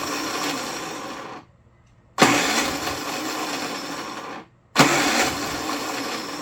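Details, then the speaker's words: Predator 3500 W inverter generator, bought used for about $65–75, cranking on electric starter with choke: repeated rough two-second cranking bursts with pauses, firing almost but never catching to a steady run; owner suspects the carburetor and plans to pull it. "choke well darn you anyway choke just that no choke and no starter what's the deal all right well I guess uh tomorrow if we get a chance to work on it we'll pull carburetor off"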